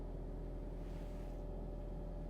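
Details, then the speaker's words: Ford Mustang at a Copart auction yard, first thought to be a V6 but actually an EcoBoost 2.3-litre, starting and idling with the AC on full blast. Smooth, even low rumble with no knocks, misses or surging; a healthy idle. "Starts up. Doesn't sound too bad. This is a V6."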